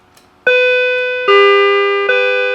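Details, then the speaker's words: M&S MC602 radio intercom master station chime, frequency pot turned back after trying the extreme: three clear, softer, lower-pitched notes about every 0.8 seconds; normal chime tone. "that actually sounds better. And I would suspect that since this is a variable resistor, that if you figured out what value this is, high and low, you probably could replace this with one with a wider range and possibly, because I think I have it set at the lower setting."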